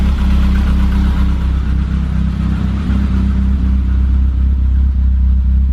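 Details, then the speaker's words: 1988 BMW E30 M3 cold start after sitting 6 months: deep, loud exhaust rumble settling to a steady, even idle, oil pressure up quickly, no knocks or misses; normal cold start. "It's got a really loud exhaust, but it sounds good."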